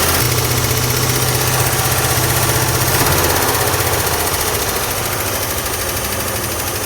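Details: Old International Scout V8 running after the pushrod repair, with spark plugs back in, valve covers refitted, and Marvel Mystery Oil added to the carburetor and gas tank to keep the valves from sticking: steady, even idle, no top-end tapping; healthy.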